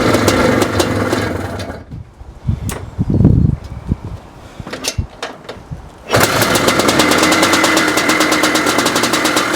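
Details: 1982 Maico 490 two-stroke, first start in 8 years after only a carb clean, kick-started with half compression: kick attempts with brief bursts, then it catches and holds a sharp, even, ringing run; normal start and run.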